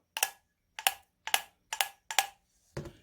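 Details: International Type M 3hp flywheel engine compensating valve after fitting a new spring (the old one had no tension), worked by hand: five crisp, sharp snaps about half a second apart; the spring action is good.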